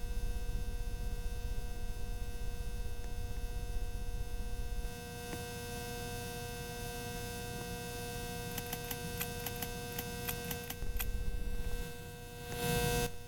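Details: Ceiling fan with a steady, loud hum, a constant mid tone over an unchanging low drone; loud humming, cause unclear.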